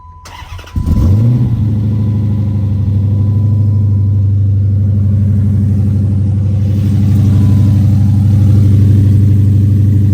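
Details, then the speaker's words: 2010 Dodge Charger, startup after replacing a destroyed set of heads: quick crank, catches cleanly and settles into a smooth, even low idle with a slight rise near the end; runs healthy. "I figured he would want to hear the first startup after me destroying a set of heads."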